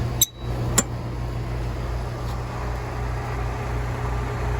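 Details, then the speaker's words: Rheem R-410A condenser after installing new warranty fan blade, amp clamp on compressor: steady low whir and even hum, no shaking, knocking or rattle after a couple of early clinks, unlike the whole unit shaking before; condenser fan running normally. "lot better. Before it was, man, this whole condenser was just shaking."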